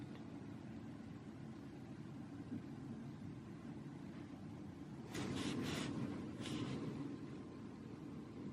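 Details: ZTE Grand X Max 2 phone speaker: quiet hiss, then short bursts of crackling static about five seconds in; sudden static noise glitch of unknown cause.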